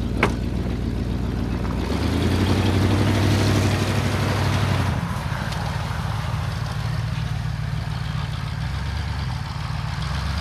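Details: 1978 Ford LTD, still cold after a -10°F start: deep, even idle that settles after a brief blip but still holds a little high, otherwise smooth.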